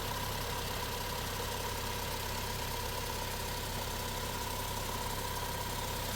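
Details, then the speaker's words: Vauxhall petrol engine with code P0171 (fuel trim lean), just started before any repair: steady idle with faint uneven throb under flat hiss, not yet badly rough, no suction at the test hole yet. "Well, here it is with the engine running before I did anything. As you can see in here, doesn't sound too bad."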